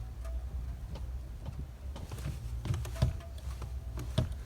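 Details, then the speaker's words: VW Up TSI with a replaced, non-factory clutch: pedal pressed quietly with no creak, only a soft tick at the end of travel over faint background rumble; clutch operation sounds normal, not making the noise. "mostrar aqui mostrar a embreagem do Smurf que não tá fazendo barulho"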